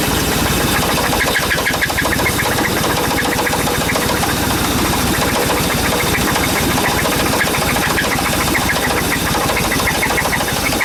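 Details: Chevy Suburban with knock and squeak, plugs, wires and rotor replaced, Seafoam in oil, fuel and vacuum line; fast regular light ticking over rough idle, steady speed; engine knock.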